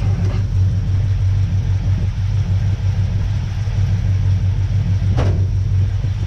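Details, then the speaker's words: 1976 Ford F250 V8, previously seized, freed with penetrating oil, run on jumper cables: deep, uneven rumble with no clean rhythm; getting fuel but idling roughly, possibly a dead cylinder. "however you can hear it does have life so we should have something going on here tell another video"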